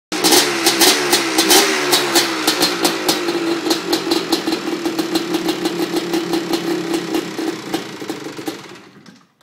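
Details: 1989 Honda TRX250R two-stroke, first start after sitting two years, after carb clean, fuel flush and new coil plug wire: crisp crackle revs up, settles and fades, firing evenly with no knocks or misses.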